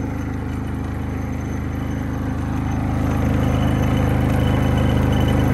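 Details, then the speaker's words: Predator 3500 W inverter generator, not idled up, powering an RV air conditioner on high cool. Steady, even drone with a smooth low hum holding speed; normal running under load. "so it sounds pretty good i think uh that is a win i can't believe that it's not even idled up or anything"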